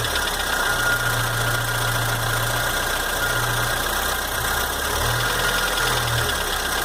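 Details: Chevrolet S10 2.4 gasoline, 15W5 oil: quick, regular knocking at idle persists. Lifters, rockers, pushrods, pistons, rings and rod bearings were already replaced. The head was checked fine, valve seals were replaced and the block measured within spec. Cause unknown.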